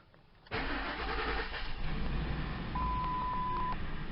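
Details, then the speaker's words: 2003 Mercury Mountaineer, cold start after sitting overnight, temperature gauge at 0, intermittent cylinder head temperature sensor fault (P1285/P1299): quick crank, fires at once, smooth even idle with chime; normal cold start and idle. "Okay, so yeah, right now it's running fine, and you can see the temperature."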